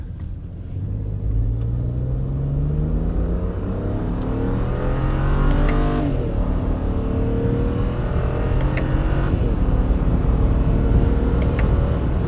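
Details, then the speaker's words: 2008 BMW E90 335i, N54 twin-turbo, automatic, after cooling system overhaul with radiator, hoses and both wastegate solenoids replaced, full-throttle pull from second gear on paddles: smooth climbing note, quick clean shifts, no boost faults; normal acceleration. "Nice. Oh, glad we're not getting faults on the boost. It's great news."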